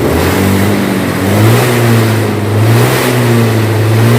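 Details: Honda Beat scooter that had been dying when the throttle was opened, tried again: the engine revs up and settles cleanly with no stumbling or cutting out: normal throttle response.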